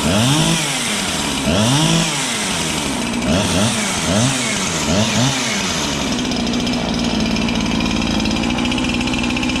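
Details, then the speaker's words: Husqvarna 365 chainsaw rebuilt with a new piston and cylinder, which previously would not start; muffled sound. It blips in rough surges, then holds a steady high drone. Low compression because the new rings are not yet seated. "it doesn't have a lot of compression but it's a brand new jug so you have to break the Rings and stuff you're not going to have that amazing compression right off the bat"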